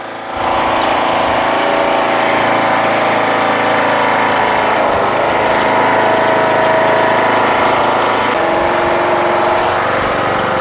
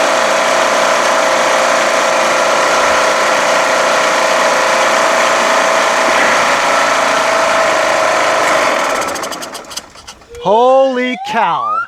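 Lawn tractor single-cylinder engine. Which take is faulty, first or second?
second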